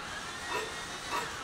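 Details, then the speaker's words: Compression test while cranking, apparently cylinder 2: steady hiss swelling about every 0.6 s with each compression stroke, reading did not reach 90; air leaking, low compression. "Okey, dia tak sampai 90. Bermakna dia loose kompres."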